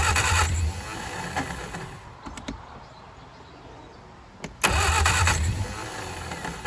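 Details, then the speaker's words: 1959 Reliant Regal Mk5 three-wheeler, not run in 20+ years, fuel trickled into carb, timing uncertain: two loud cranking bursts with a few catches that never run; fires but won't run, flooded carburettor. "Okay. Oh, it's so close. Having it fire up."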